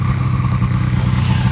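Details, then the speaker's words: 1980 John Deere Liquifire two-stroke snowmobile after a Mikuni VM carb clean, with old gas still in the crankcase. Crisp, even buzz that picks up cleanly with throttle, no stumble or misfire; smoke is clearing. "There we go. Blowing all the cobwebs out of her. She's a little less smoky"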